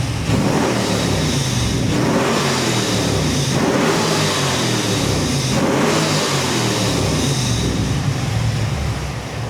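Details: GM LS3 430 hp crate engine in a 1962 Chevy II Nova on the dyno, Terminator X Max, revved in gear after bad crank sensor fix for popping misfire: repeated clean climbs to high revs with no pops or stumbles; normal high-rpm rev.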